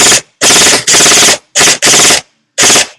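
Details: Echo1 M14 EBR airsoft gearbox upgraded with SP140 spring, modified Ultra piston, polycarb head, Echo torque gears and Max Torque short motor: sharp even full-auto bursts, clean starts and stops, no screech; healthy.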